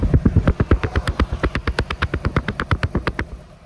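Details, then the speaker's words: 2002 Toyota Camry Altise, check engine light on, exhaust at idle: steady, rapid 't' puffing beat from one misfiring cylinder, failed ignition coil; misfire exhaust puffing. "I will also show you the exhaust on the car and if your exhaust has this t sound you most likely have the same issue as"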